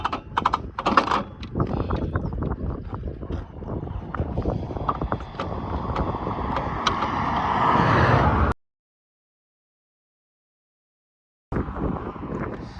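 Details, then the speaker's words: 1965 Lambretta Series 3 Li 125 scooter on a long road trip, fast cruising: a sudden "dunk", then heavy, uneven clattering knocks at about three a second, like the conrod slapping in the barrel with no piston, then the engine dies. Terminal internal failure, cause unconfirmed. "It just went dunk and there's nothing. And it actually it sounds like there's no [ __ ] piston in there. Just sounds like the conrod is slapping away inside the barrel."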